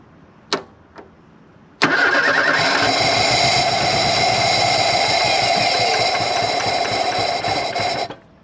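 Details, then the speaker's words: 1983 Ford Thunderbird Turbo Coupe, 2.3 L turbo, unrun for 20 years, hot day, brake cleaner sprayed: starter spins the engine freely for about six seconds but it never catches; no fuel pressure, fuel pump issue. "it's hot out today obviously we got a fuel pump issue"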